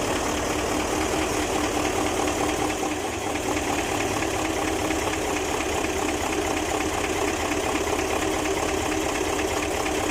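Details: Fuso 8M20 V8 diesel engine idling with a fast, hard clattering knock running steadily under a rough drone; engine knocking and reported to run wild.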